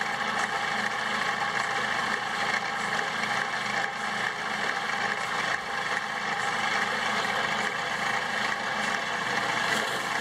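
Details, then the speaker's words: Homemade bandsaw built from a scrapped portable lumber-mill saw, thick-walled bearing, running on a small battery: steady electric motor hum with smooth, even blade whir, no knocking or rubbing; normal running. "of course this runs on a much higher voltage than that little battery so it'll have a lot more power but even on that man that thing runs great man that is sounding way better than I've ever heard of"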